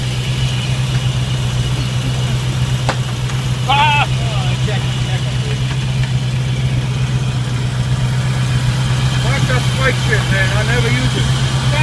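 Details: 1995 Land Rover Defender 90 just started after no-start, on ether with inertia switch plugged back in and Mallory surge filter removed: steady even low idle hum, no knocks or stumbles; running fine.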